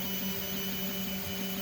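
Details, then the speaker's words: FoxAlien LE-4040 5000mW laser engraver engraving stainless steel at 3,000 mm/min, 100% and 60% power: steady whine of several even tones over motor hum, frequency changing as the steppers change speed; normal stepper motor operation. "And as it's going up and across, I don't know if you can hear the frequency change of the stepper motors"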